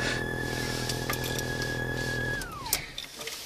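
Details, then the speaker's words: Car audio speakers, engine running, volume even at zero: thin high-pitched whine whose pitch follows the gas pedal, then slides down and dies with the engine; alternator interference via a poor head-unit RCA line-output ground. "появляется при нажатии педальки газа тональность меняется в такт нажатию педали это помехи отне"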